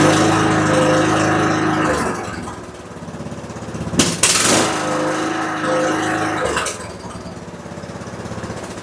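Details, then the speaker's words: Husqvarna tractor with Kohler single-cylinder engine after carburetor and fuel line work: settles into a steady, even beat with a loud, raspy exhaust from a noisy muffler; engine runs fine. "All right, other than being a really noisy muffler, the carburetor feels like it's already, I mean, it sounded pretty good."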